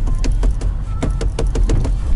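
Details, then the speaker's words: Lada Priora on a cold winter idle: irregular sharp slapping knocks, roughly three to four a second over a low rumble, from stripped timing belt teeth before the engine stalls. Owner unsure whether the valves are bent. "Само собой, ребят, это ГРМ. Слезала просто зубцы на ремне."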